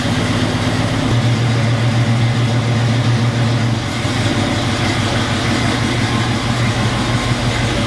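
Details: 1980 Chevrolet Camaro Z28, factory LM1 350 V8 with Turbo 350 automatic, parked five years, after fresh fuel and new plugs and wires: catches and settles into a loud, steady, even idle with no knocks or misses.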